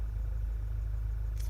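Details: 2012 VW GTI 2.0 turbo idling after ignition coil and spark plug replacement for a flashing check engine light: a steady, even low rumble with no misses; the scan shows zero codes.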